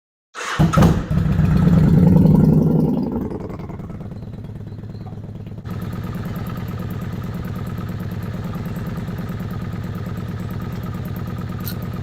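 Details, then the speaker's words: Kawasaki Vulcan 750 idling, second manual cam chain tensioner loosened one and a half turns from starting point: fast even clatter about four knocks a second over idle as the cam chain starts clanking; much worse at two turns. "what you heard on the video was one and a half turns loose from this starting point that's when the clanking started"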